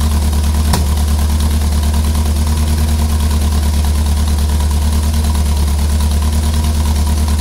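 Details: Ford Pinto engine at low idle, about three beats a second, with an uneven, stumbling pulse that skips now and then; misfire at idle.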